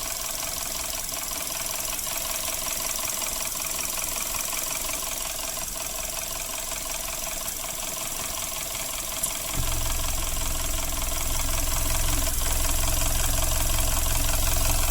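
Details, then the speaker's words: Suzuki Ertiga engine idling before repair, fast steady metallic rattle up top about three per second despite an oil change; timing chain rattle from oil starvation, fixed by cleaning oil passages and engine internals. "trouble Ertiga suaranya seperti ini Padahal sudah dilakukan penggantian oli"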